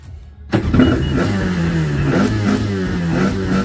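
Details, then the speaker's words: Yamaha Waverunner 800 two-stroke, freshly installed engine, first start on the stand, cold: slightly lumpy, burbling idle that wavers; loading up a little and smoking a little but idles. "Sounds like it's loading up just a little. Smoking just a little, but it idles, baby."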